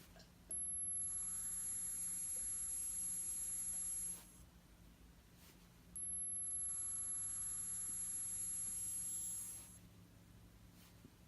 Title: Apple Watch making a buzzing noise